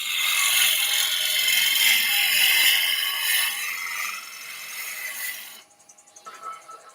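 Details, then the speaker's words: Woodturning lathe, gouge cutting freely without being forced: steady bright shearing hiss with no chatter or bouncing knocks, unlike the vibration heard when the gouge is pushed too hard. "if i can make it cut freely and easily and not force it"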